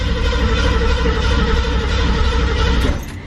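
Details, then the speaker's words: 1968 Ford Mustang Fastback, carbureted, broke down after heavy use; choke opened and two full throttle pumps: steady low churning as engine turns over for a few seconds but never fires; cranks, no start, air, fuel and spark to be checked. "So the car turns over but does not start. So we're gonna have to check air, fuel, and spark."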